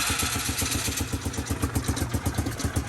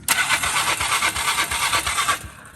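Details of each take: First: Polaris Sportsman 500 engine in a golf cart, choke cable stuck, no full exhaust system, pumping out old water-contaminated gas: steady single-cylinder thumping at fast idle with loud open exhaust, building slightly; runs normally. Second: Polaris 500 golf cart with water in fuel and dirty carburetor, not yet cleaned; steady starter churning about three beats a second for two seconds, dies away without catching: hard start, cause suspected, not confirmed.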